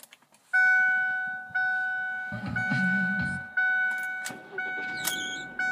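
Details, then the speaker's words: Engine start-up with sharp high-pitched chirps about once a second from the belt drive, persisting after serpentine belt replacement the day before; owner suspects the idler pulley, not confirmed. "uh as you can hear it squeaked actually this time so we had the serpentine ball replaced um yesterday actually and so now we thought that would fix it it's probably the idler pulley"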